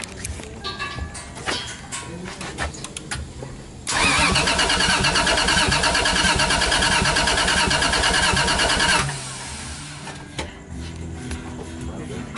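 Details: Toyota 1JZ-GTE swap in a Lexus IS300, not yet running after a new return line: starter cranks evenly at about three beats a second for five seconds but never fires; fuel pump confirmed working, cause still unknown.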